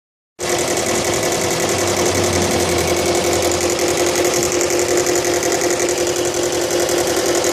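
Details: Subaru Legacy BL5 petrol engine at idle with a fast, tinny rattle running steadily over the whole clip.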